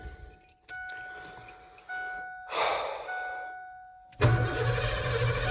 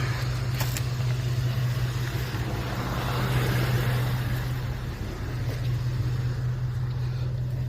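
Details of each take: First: Abandoned 1988 Ford F350 dually with new starter: a few chimes, then a short crank and the engine catches straight away into a steady low rumble; starter and battery good. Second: Abandoned 1988 Ford F350 dually after new fuel pumps, with the old starter and a suspected bad connection: steady droning starter hum with no engine cranking; starter spinning freely, its drive not engaging the flywheel.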